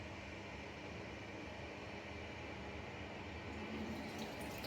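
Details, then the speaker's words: Toilet trickling into the bowl: the flush valve seals, but the fill valve keeps filling the cistern with a steady hiss and no shut-off click, spilling into the overflow. Faulty fill valve, to be replaced. "So it hasn't turned off, it's carried on filling and operated at our overflow. So now we know it's our fill valve, we can replace that fill valve."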